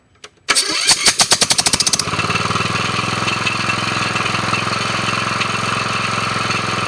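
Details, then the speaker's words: Briggs & Stratton mower engine fitted with a chainsaw compression release valve: about a dozen quick cranking puffs with compression relief audible, then catches and settles into steady even idle; starts easily, runs well. "if you also listen when I start you can hear the compression being relieved and then uh sometimes when you cut it off you might hear a little backfire but uh this one's doing really good"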